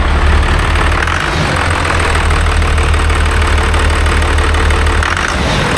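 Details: Newly overhauled 5.9 12-valve Cummins in a Ford farm truck chassis, first start after install: steady, even diesel clatter at idle with a firm low rumble, no knocks or misses; running healthy.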